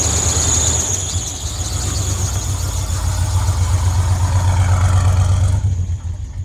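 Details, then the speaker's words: 1981 Chevrolet C1500 pickup V8, freshly rebuilt with new lifters and a big cam, just out of winter storage, idling; steady high-pitched squeal throughout from the belt. "As you can hear, the belt on this thing is not happy."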